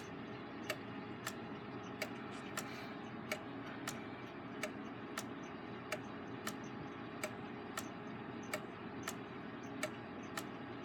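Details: Gilbert long-drop octagon clock, back on the wall with springs not fully wound, ticks about 46 a minute with uneven tick-tock spacing; out of beat with the escapement resting on the exit pallet, so the entrance pallet needs more dwell; escape wheel possibly slightly out of round.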